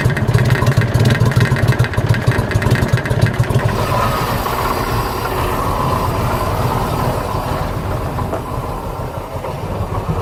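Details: 1985 Bayliner Trophy inboard, out of the water at least 3 years; catches with uneven chuffing then settles to steady low drone; now starts and keeps running.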